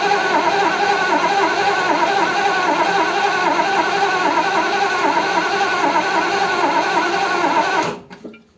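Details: Triumph Stag, off the road about 20 years, after a top-end rebuild, first start attempt, no choke, in neutral: steady starter churning about four beats a second for eight seconds, never fires. Fuel suspected, not confirmed; cranks but won't start.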